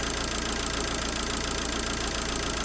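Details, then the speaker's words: Abarth 500 after an alternator replacement: even idle with a steady beat and no squeal or chirp, much quieter than before. Normal idle. "still positive it's sorted wow so it's loads quite a loads quieter"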